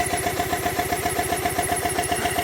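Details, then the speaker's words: Triumph T100 Bonneville, 0 miles, long stored, won't start; with air pressure fed into the fuel line it runs, a twin at steady even idle with a light ticking beat, so the injectors are fine and the fuel pump has failed. "So we've established now the fuel pump or whatever inside it has failed. So the plan is I'm going to take the fuel tank, remove the fuel pump, and then figure out what's gone wrong."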